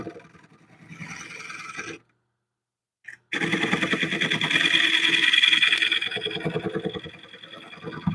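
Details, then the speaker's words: Wood lathe turning very straight-grained wood at increased speed: a rough cutting rasp with a rapid knock about three beats a second, the tool constantly tearing the grain instead of shearing cleanly. "So what's happening is you're constantly tearing the wood."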